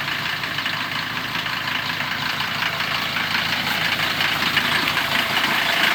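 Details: Mercedes-Benz 410D diesel at idle just after an easy start, mild weather: rough, uneven chatter riding over a bright hiss; worn belt tensioner bearing letting the tensioner jump, bearing to be replaced.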